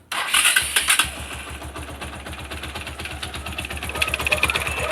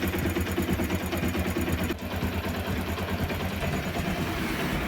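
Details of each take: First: Bajaj Pulsar motorcycle, noise began after fitting a new ignition switch: after the start, a fast irregular metallic ticking over the idle from the left, flywheel side; teardown found worn starter one-way clutch parts. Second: Single-cylinder motorcycle after one-way clutch (starter clutch) kit replacement to cure engine noise, flywheel cover refitted; low steady putter with even beat, no rattle or clatter at start-up; normal idle, noise fixed.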